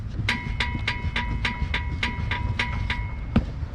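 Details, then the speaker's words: Chevy Cruze, microphone close to the rear wheel while the car body is rocked: sharp ringing clicks about three a second from the rear suspension bar (axle beam twisting); common creaking/click noise, described as a cheap fix. "So that's the sound I'm gonna fix, and it should be real cheap fix. It's not gonna be as expensive. So what's really making the sound is the bar."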